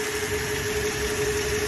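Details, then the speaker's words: Toyota Hilux 3RZ-FE 2.7 L gasoline, idle screw backed off to about 600 rpm in Drive: low, lumpy idle with uneven throb, engine shaking, steering wheel and shifter shaking, feels about to stall; idle speed too low. "I'm gonna idle it up just to show you that it shakes you could hear the motors like it's the titles way too low and it's shaking too"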